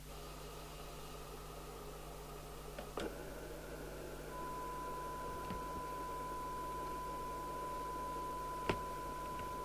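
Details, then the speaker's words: Midland 77-095 UK FM CB radio on test with signal generator: constant loud hiss and hum, barely receiving, very deaf receiver; suspected disconnected internal aerial or faulty detector, unconfirmed. Later repairs replaced the RF output transistor and an open-circuit capacitor. "very deaf receive it sounds to me like the Aerials disconnected inside so right now talking about actually not as definitely it's just noisy"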